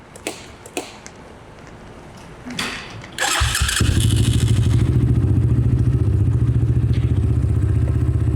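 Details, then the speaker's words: Cheap Amazon 250cc-class dirt bike (stock 200, carb, 28 mentioned) revived after five years stored, new battery fitted: a few thumps then catches within a second and settles into a steady, even idle; starts much better, healthy. "I'd say that's good to go. It starts up so much better."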